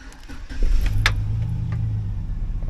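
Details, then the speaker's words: 2008 Chevy Silverado 1500 that had misfires and limp mode, after replacing the throttle body and brake pedal position sensor and sitting a while: it starts at once and holds a steady, even idle through three-minute run cycles. Normal start and idle. "It ran perfectly fine the entire time."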